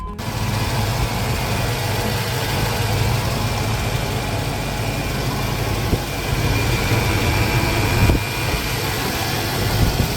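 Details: 1999 vehicle, first start on fresh gas after ether: steady low idle with no ticking or knocking, even tone for ten seconds, running while warming up; engine idling cleanly.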